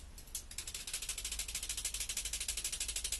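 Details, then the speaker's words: Truck, rattle heard while driving from underneath: quick tinny rattle about three hits a second over quiet background; something loose, owner suspects drivetrain area. "I know something's loose and this rattling and something had something has come loose and I can't find it"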